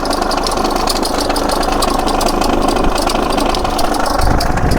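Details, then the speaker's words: Holden/Chevrolet Epica VCDi diesel, 217,000 km, idling: irregular rattle about four a second over the clatter that goes away when revved and returns off throttle; owner suspects failed timing tensioner pulley. "I'd say that's the timing tensioner. If you rev it up, it does go away. As soon as you let off, bouncy, bouncy."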